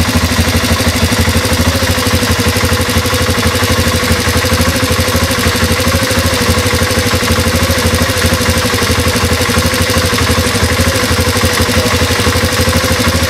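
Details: Honda Transalp at idle: a light, fairly regular tapping about three times a second over the engine; an abnormal idle noise whose cause isn't clear.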